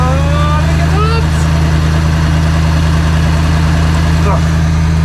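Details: Ford Transit V8 after the exhaust manifold repair (it sounded terrible before, especially in the cab): a deep, even V8 burble at idle with no misses, shakes or stumbles, a smooth, well-balanced idle.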